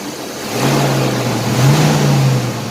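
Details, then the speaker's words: 1993 Chevrolet S10 4.3 automatic 2WD after replacing a worn-out clutch fan with a new Duralast unit, fired up: low roar swelling with the rev and holding steady as the fan pulls hard; engaging properly. "now it should sound like a big old 18 wheeler when it fires up that means that the clutch fan is working like supposed to"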